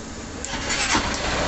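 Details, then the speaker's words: 2011 Titan CG 150 motorcycle that would not start on the electric starter. After a direct-connection test pointed to heavy dirt on the battery's positive terminal, a short crank catches at once into a steady rising idle: quick, clean start. "acendeu agora ligou rapidamente então o problema aqui realmente está aparecendo se esse excesso de sujeira aqui no borne Positivo da bateria"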